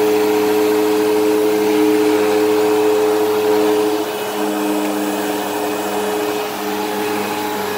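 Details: Eureka Whirlwind True HEPA 4383 vacuum on high setting: steady high motor whine with a rough, wavering hum that eases midway; the brush roll bearings sound worn and it probably needs a new brush roll, while the motor itself sounds fine.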